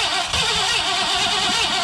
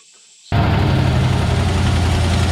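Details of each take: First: Old Ford F100 pickup, sat about 17 years, with rebuilt carburetor: brief cranking that sputters, never catches and dies after two seconds; no gas getting through the carburetor. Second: 1967/68 Ford F100 with possibly original motor, first idle in 17 years: catches after short crank, steady even low rumble, no misses, no smoke; two holes in the muffler.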